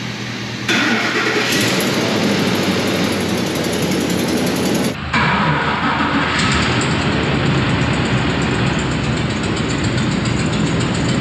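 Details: Ford F-150 5.4 3-valve with a replacement engine botched by another shop; cold restart. Engine settles into a fast idle with a light tick-tick-tick that comes and goes; cause unconfirmed. Passenger-side exhaust leak also audible.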